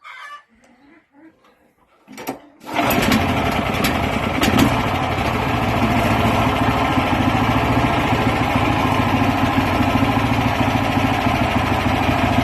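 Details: Weima single-cylinder engine, first start after repair with new piston, rings and cylinder sleeve, original air filter housing resealed at carburetor: a few quiet knocks, then fires and settles into steady, even chug without knocking; runs properly.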